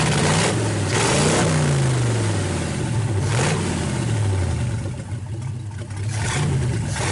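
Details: 1931 Ford roadster after fitting a progressive carburetor linkage with brass bushings, idle circuits shut and adjusted, vacuum advance working, fuel lines plumbed: engine catches, settles to steady idle, then clean blips up and down with no misfire or stumble; normal start and running.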